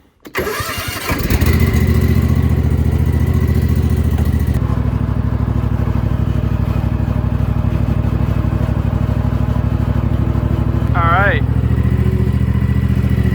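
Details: Toro TimeCutter Max 54-inch zero-turn mower restarted after blade replacement: engine catches at once and settles into a steady, even beat with no knocks or rattles, running healthy.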